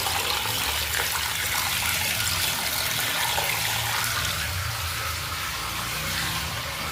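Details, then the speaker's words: 2000s Celite sink faucet: steady hissing rush of running water with a rough, rattling edge from the tap; noisy faucet, cause not clear. "fazendo tá muito barulho. Tá fazendo barulho."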